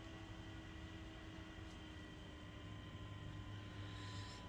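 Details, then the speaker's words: BenQ HT1075 DLP projector under repair for no power, first power-up after reassembly: quiet, steady whir with a few constant tones and no rattle or scrape. Fans and color wheel spin normally, but the lamp does not light. "Hey, color wheel came on. Fans came on. No lamp."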